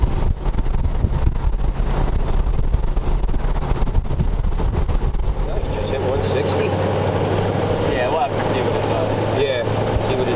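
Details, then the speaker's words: 1932 Ford roadster's flathead V8 on the road. A steady, even low drone with no top-end ticking or clatter, unlike the previous engine whose loosening lifters clattered; insanely quiet and sounds really good. "engine is insanely quiet I can't believe how quiet the engine is it sounds really good"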